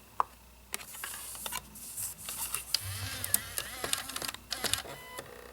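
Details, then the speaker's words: 2009 Mac Mini slot-loading DVD drive reading a game disc: odd spin-up whir, scattered clicks and chirps, rising seek sweeps; unusually strange drive noise, cause unknown, drive seems weak and may be replaced. "I've never heard that sound before. Wow. There you go. What a strange sounding drive. It's not what I'm used to at all."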